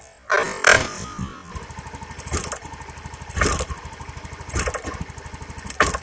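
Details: Honda Beat injection scooter misfiring (brebet): uneven idle stumbling with sharp cracks about once a second; spark arcs from the plug cap, whose metal clip is missing so it doesn't lock, to the engine; spark plug also damaged.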